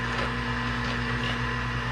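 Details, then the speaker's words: York Luxaire 95 furnace after replacing half-clogged burners, limit switch and pressure switch: even low roar with steady blower hum, no knocks or rattles; loud but normal running, flames now good. "let me go turn the thermostat up and fire up noisy bugger it's like the same furnace you got in my house"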